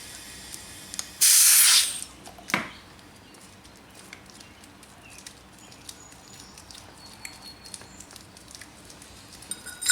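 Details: Dodge Nitro with misfire, leak-down test on cylinder six using a small-engine tester reading up to 35 psi; exhaust valves suspected leaking: a sharp hiss of escaping air lasting under a second, then quiet; source not yet traced.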